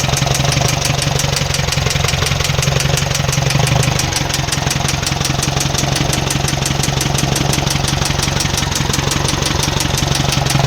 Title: 4n15 strada engine knocking sound problem